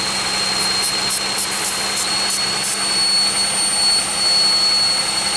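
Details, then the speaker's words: 2001 Pontiac Aztek GT with rebuilt engine at idle: constant piercing whistle, slightly dipping in loudness, quieter with throttle opened (less vacuum); vacuum leak at the intake plenum gasket, which was loosely bolted. "I think I found it that's kind of what got me the thinking that it's a vacuum too because the last video that I did the we when you open the throttle desktops there's less vacuum yes it's even quieter it's not even as loud as it was"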